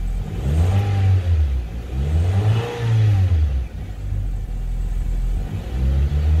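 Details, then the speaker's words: 2002 Honda Civic, 215,000 miles, after a junkyard fuel pump replacement for hesitation, stalling and no-crank: starts right up and picks up cleanly on each throttle blip, settling back smoothly with no stutter or misfire; normal revving. "started right up the way it's supposed to it wasn't doing that before"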